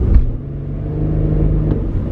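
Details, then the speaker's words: Infiniti QX70, rear subframe replaced earlier: coasting at low speed, a single dull thud from the rear when the gas is tapped, not every time. Owner suspects the rear differential; not confirmed. "the sound occurs not every single time i accelerate or decelerate i notice like this strange stud sound coming from the rear"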